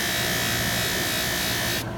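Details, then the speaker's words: Bench buffing wheel with a metal project pressed up into the bottom of the wheel: a steady, high, even whirring hiss with no chatter or bogging, the sound of correct buffing pressure. "hear that sound? That sound is what you want to hear when you push that into there. If you don't hear that sound, you're not putting enough pressure from your metal to that buffing wheel."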